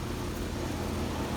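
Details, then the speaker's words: ICP Comfortmaker premium-line unit, sold around 2009–2011, after variable-speed indoor blower motor replacement on a no-cooling call; recorded standing right next to it: low, even droning hum, steady level, no knocks, rattles or squeals, sounds good, normal running. "this one sounds good"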